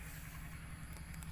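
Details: Honda Wave 125 with a loud ticking engine noise that appears only when hot, not when cold; owner checks timing marks. Steady low rumble with faint light ticks on top; cause not confirmed.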